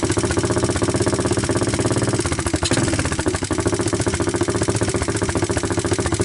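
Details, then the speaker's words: 1988 Honda TRX200SX ATV, abandoned for years, cold started after a new PZ27 carburetor, with about 100 psi dry compression; the single settles into a steady even thump with light valve ticking, idle turned up a little, idling normally. "I wanted to bring the camera a little closer so that you guys can hear the valves and all"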